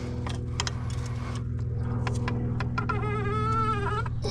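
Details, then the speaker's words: Waterline compression fitting (rubber bushing and sleeve) tightened with a pipe wrench over a steady engine hum: a short rising squeak as it turns, showing the fitting is about tight enough, maybe one more turn. "you want to tighten it till you hear it squeak you probably can hear that but when it squeaks it's about tight about tight enough"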